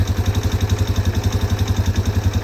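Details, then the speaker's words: 1998 Yamaha Big Bear 4x4 350 after carb cleaning (clogged idle jet), new fuel line and filter, on reserve fuel: even, steady single-cylinder idle at about eight beats a second, no misses, running smooth. "we got it on reserve let's fire it up it's running pretty smooth"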